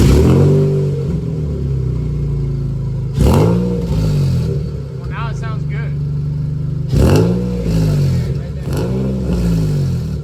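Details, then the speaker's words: Nissan 350Z being prepped for a drift event: engine revs up and drops back twice with a loose tinny clatter after each rev from the left exhaust tip flopping on a broken hanger; exhaust leak suspected but unconfirmed. "Um, I'm pretty sure there is because there's a hanger broken where that tip is. So, that tip is just flopping around like this."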